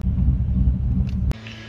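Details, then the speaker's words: 2003 Ford F-150 V8 with 240,000 miles, before Sea Foam treatment: deep, uneven idle rumble with a lumpy, unsteady beat, tach bouncing, truck shaking and wanting to die at stops; rough idle, cause suspected, not confirmed. "as you can see yeah it's bouncing around nothing crazy but it does have a rough idle you can see it"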